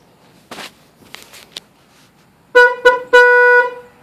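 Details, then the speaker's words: Original factory horn on a 2007 Kawasaki Vulcan 1600 before replacement with a Stebel air horn: three short thin single-pitch beeps cutting in and out cleanly; works but sounds weak, hard to hear over the pipes. "all right we're going to change the horn on the 2007 Kawasaki Vulcan 1600 it's the original and this is what it sounds"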